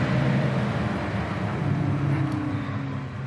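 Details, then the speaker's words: 1999-2002 GM NBS truck (Silverado/Sierra) aftermarket 9-blade electric fan swap, fans bench-tested by grounding wire: smooth steady whoosh with low even hum, no ticking or rubbing, both fans at low speed; normal low-speed fan operation. "fans going at low speed"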